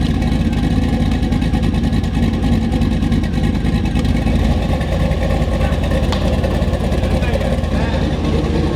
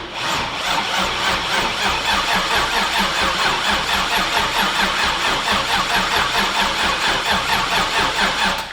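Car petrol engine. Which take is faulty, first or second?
second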